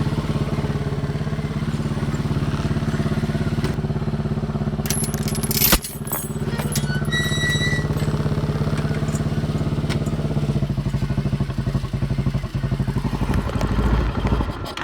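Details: Chinese 200cc Honda-clone quad, warmed up after about 10 minutes of riding, choke half on: the single-cylinder thumps unevenly with skipped beats and popping, fading and sputtering toward a stall. The misfire was traced to a faulty spark plug.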